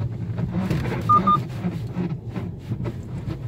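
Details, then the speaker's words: 2012 Volkswagen Passat test drive over a speed bump: sharp crackling creaks burst out above low road rumble as the right side loads; no noise on rough roads; mechanic suspects the stabilizer bar link. "제가 반지터 이제 넘을 테니까 자 한번 들어보세요. 막 뿌직하면서 나죠. 이거 소리 크게 들리시죠? 막 뿌직뿌직 하면서 소리가 나시고 이제 우측에 좀 힘을 주면서"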